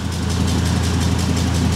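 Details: 2005 Ford Super Duty with 6.8L Triton V10, dual side-exit exhaust, checked for suspected cabin exhaust smell: deep, even idle with a smooth low rumble, no puffing or ticking; exhaust sounds sealed, CO reading zero.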